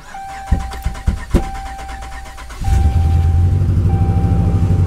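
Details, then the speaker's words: Salvage-auction Ram with about 200,000 miles, jump-started on a boost: a few sharp pops during cranking, then an uneven, lumpy run with backfiring; warning lights flashing and smell of raw gas. "that didn't run well and you sound like it backfired a little bit yeah she doesn't sound good"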